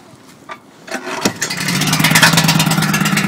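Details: Generator powering a home Reliance transfer switch during a power outage, cold start on choke: small single-cylinder engine catches after a pull and settles into a busy steady run; normal start.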